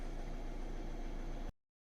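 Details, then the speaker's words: 2014 Ford Transit Custom 2.2 diesel after replacing the alternator regulator (F00M346165) because the alternator gave no charging voltage and the battery light was on. Steady, even idle with a smooth low rumble, no hunting or knock, then cut off: normal idle. Regulator appears to have been the fault. "on on this occasion it seems like the regulator was the issue"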